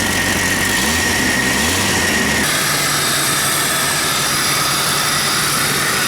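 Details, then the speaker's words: Jeep Cherokee 4.0 after new stainless exhaust manifold, radiator and fan clutch to fix poor running: steady, even idle under loud fan-air rush and intake hiss, no knocks or misses; runs well and much quieter. "run pretty dang good and quiet so much more quiet that's for sure"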